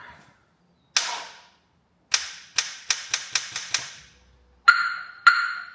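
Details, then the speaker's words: Mobile mechanic's engine being spun over for a quick start, coil packs unplugged, no coolant lines: sharp single clicks then a run of about six, no cranking; battery run flat, could be a starter motor issue. "Set the battery flat. Could be a starter motor issue."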